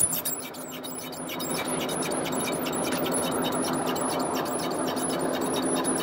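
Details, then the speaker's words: 2000 Ford Explorer driveline: sharp, high chirping squeak about three times a second over low drivetrain hum, from a failed, dry universal joint with needle bearings walking out. "so we got this Ford Explorer got a driveline noise squeak dude we got ourselves a universal joint squeak"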